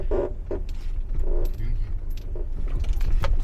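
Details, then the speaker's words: 15-year-old Audi A4 at 83,000 km, road test downhill and over bumps: short rubbery squeaks in bursts as suspension moves, heard on both sides; cracked front control arm bushings. "Rings on both sides Well, it's like a rubber sleeve rubbing right there."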